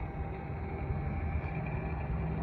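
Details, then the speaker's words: Milwaukee M12 transfer pump just swapped to a fully charged 4.0 battery: strong, steady low motor hum with no surging or fading; the previous battery died and the pump did not sound like this on it; normal running. "So I'm going to swap this out right now with this other 4.0, and we're gonna continue on. So have a listen. That is a full energized battery."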